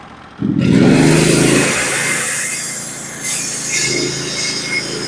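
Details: Norwood HD36v2 bandsaw mill, first cut with new sharpened Stellicut band and new roller guides on Red Oak; engine surges under load then settles to steady cutting roar, no chatter or squeal; cut smooth, slightly less effortless than Turbo 7 bands.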